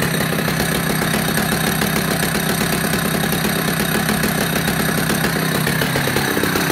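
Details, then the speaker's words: Vintage Husqvarna B65 Classic chainsaw started after three weeks unused, warming up: steady, even two-stroke burble at constant speed with no misses or surging; clean, healthy idle. "so that's generally how she started after three weeks done nothing else to her runs impeccably after she starts to warm goes to a lovely steady idol"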